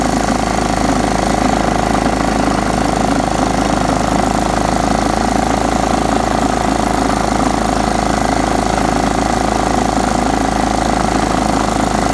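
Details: John Deere STX 38 riding mower, parked an estimated nine or ten years, after a new battery and freeing a carburetor float stuck shut: steady, even drone with a constant mid-pitched hum, no stumbling or surging; running properly.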